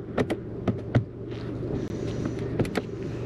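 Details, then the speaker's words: Power window switch clicks, then a smooth, steady low motor hum as the glass rises without hesitation on both sides of a salvage-auction car; windows working normally. "i'm very happy the windows are working that goes up fine and that side that goes up fine as well"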